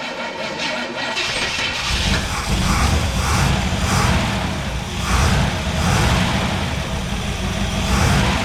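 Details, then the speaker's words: 1963 Chevrolet Impala SS V8 off the road 35+ years, first start after revival: rough catch for two seconds, then a steady low idle with a gentle surge, holding on its own; normal idle. "there we go she's idling"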